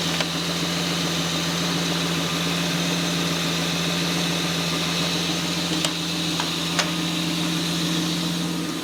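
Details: 1978 Toyota BJ40 Landcruiser with a swapped 5-litre twin-turbo 1GZ-FE V12 on a new Haltech Elite 2500 ECU, first start on the untuned base map; steady, even idle with a smooth low hum, no knocks or misses.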